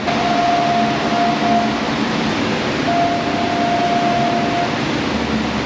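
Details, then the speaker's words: Customer's car driving away past the shop: thin, steady high whistle comes and goes over road noise; not normal, suspected bad valve cover, a common GM problem, unconfirmed. "That is not a normal noise. He just came in and asked me if I can change his oil. I said, we do it by appointment if you want to make an appointment. And he's driving away. I hear that whistling noise."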